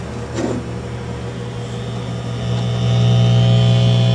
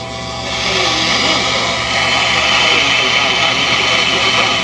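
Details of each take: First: 1959 Philco tube AM radio with all new capacitors and a new converter tube: steady low hum with no stations received; IF stages pass 455 kHz, and the fault was an open winding in the oscillator coil, replaced with a salvaged coil. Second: Circa-1959 Philco tube AM radio after repair (open oscillator coil replaced with one salvaged from a Curtis Mathes chassis, capacitors previously replaced): station audio steady and full with faint even hiss, no crackle or fading; receiving normally.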